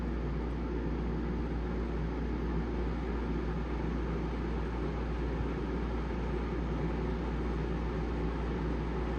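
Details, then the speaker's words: Houghton Belair 2800 RV rooftop air conditioner on a dedicated 15 A circuit, drawing up to 17 A: deep, steady, even hum with no knocks or rattles, blowing cold; running normally. "it sure is it's running pouring cold"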